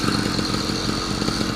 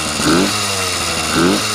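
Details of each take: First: Yamaha YD100 two-stroke after rebuild with a hand-ground cylinder fitted with a Dio reed plate, pressure-tested, first startup and ride: crisp, steady buzz with even firing, no misses or knocks; running cleanly. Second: Yamaha YD100 two-stroke with a hand-built Dio reed setup, first startup with a little choke and a restrictive pipe: buzzy, uneven idle surging about once a second then sagging back; still needs tuning, possibly lean, not confirmed.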